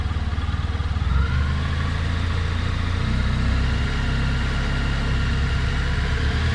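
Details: 2018 Honda Crosstourer V4 at 1000 km idling with deep uneven pulsing and a faint engine knock about three beats a second.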